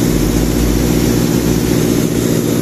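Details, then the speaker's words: Sullair 260 diesel compressor: deep steady drone at even speed, no surging or hunting; accelerates and decelerates without problem; normal running. "se activan se acelera sin ningún problema no vamos a abrir a casa el motor acelere y desacelere sin ningún problema o sea no tenemos problema"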